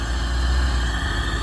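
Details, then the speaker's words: 1987 Corvette C4 automatic just started after a no-start; apparently it needed to build fuel pressure plus a jump start: steady low rumble, even smooth beat, no misses or knocks; normal running. "well um I guess it just needed to build fuel pressure um and then just have a little jump start there"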